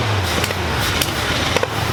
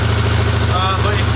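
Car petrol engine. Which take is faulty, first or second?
first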